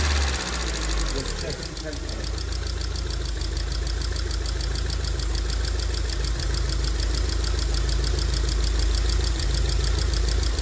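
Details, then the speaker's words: 2002 Rover 75/MG ZT engine that stalled at idle with an unpleasant noise and sat for a while, now idling smoky and clearly misfiring. Light rapid ticking about three per second over a steady low idle rumble points to noisy valve tappets. "it is on the smoke here side don't I'd say but you can see the there are some valve taets there are a little bit noise to"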